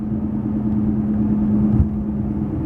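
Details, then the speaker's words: BMW E65/E66 at about 55 mph: steady low droning roar like a wheel bearing or exhaust, loudest between 45 and 50 mph. It comes from worn front tires. "guys hear that right there that wall it's the loudest between 45 and 50 miles an hour right there where it almost is it's sounding like I'm downshifting and I have exhaust"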